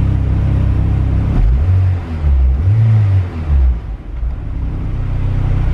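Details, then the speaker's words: Honda Civic EK coupe, B18C GSR with rods, pistons, cams, eBay turbo (~50 trim), log manifold and 1000cc injectors. After TPS idle-mode fix it idles ~950–1000 rpm with smooth burble and blips, ignition timing not yet set; it now starts on its own. "It's pretty good. It's way better than it was. And it also wasn't starting. Now it starts on its own."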